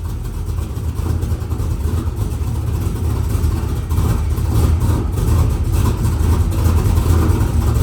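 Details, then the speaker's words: F-body street car V8 with newly installed Texas Speed Magic Stick 4 cam, air cleaner off, first start: deep lumpy idle with uneven lope and a few throttle blips; healthy aggressive cam idle. "I think I'm more impressed with the fact that it started up and ran, but it does sound a little choppy. Yeah, definitely sounds much different."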